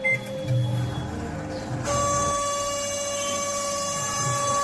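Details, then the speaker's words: Samsung microwave that makes excessive noise when running: loud steady hum with high whine throughout the run; fan motor noise, fix is replacing the whole fan motor. "देखिए इस तरह का आवाज जब भी करेगा तो यह फैन मोटर [संगीत] का आवाज है।"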